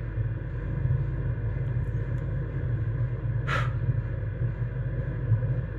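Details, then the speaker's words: Rebuilt truck diesel bunk heater restarting itself after thermostat cut-off then turned back up: steady even low rumble, no sputter, sounding much healthier than before the rebuild. "It sounds so much healthier than it did before too. I hope it stays like this."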